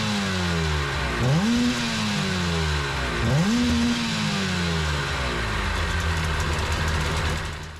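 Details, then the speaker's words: 2003 Sea-Doo GTI RFI two-stroke after injector testing and RAVE valve adjustment, run in the shop: snaps up quickly on throttle blips and settles to steady idle, no bogging, revving quicker than before. Normal running. "Now I'm already hearing a difference in the way this engine runs. She's taking the gas a lot harder. She's revving up quicker. She sounds good."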